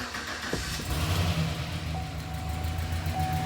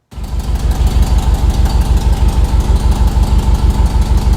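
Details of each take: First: LS engine in truck after rebuild, first start after fixing a cracked exhaust flange (broken stud replaced with bolt, silicone); catches after brief crank, settles to steady deep idle with no puffing or ticking: exhaust leak sealed, normal start and idle. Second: LS engine in a truck, first startup after rebuild, heard from underneath: sharp regular puffing tick about three per second with idle; exhaust leak not from new donut gaskets but a cracked exhaust manifold flange.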